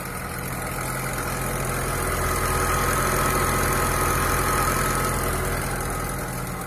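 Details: Lada Niva 21214M fuel-injected engine with hydraulic chain tensioner, about 63,000 km, cold morning start: a steady metallic chatter about three beats per second over the idle. It is timing chain rattle; a broken chain damper was found under the valve cover.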